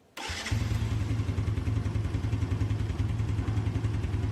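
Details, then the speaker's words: Four-stroke engine started after valve clearance adjustment: it starts right up and settles to a fast, steady idle, but a sharp tappet clatter is still loud, meaning the valve clearance setting is probably still too wide. "masih nyaring ya Jaga suara ngecek bertengger disana ya berarti setelan"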